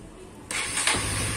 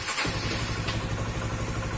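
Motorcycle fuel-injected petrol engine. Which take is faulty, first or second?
second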